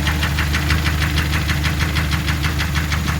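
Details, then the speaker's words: Car that developed ticking around 100,000 km, now at 180,000 km, at startup: sharp ticking about three times a second over rough low idle; owner found online it may be cylinder scuffing, boring suggested as the fix. "그리고 이 차 같은 경우는 제가 자료화면으로 넣어드릴 거지만은 지금도 현재 시동을 걸면은 그 딱딱거리는 소리가 나고 있죠."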